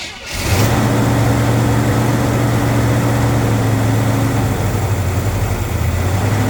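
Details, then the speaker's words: Big-block Chevy C30 Camper Special square body, unstarted about ten years, carb cleaned: catches and settles into a steady, even, deep idle with low throb, no knocks or misses; sounds pretty decent, healthy idle. "happen it sounds good you know what it sounds pretty decent"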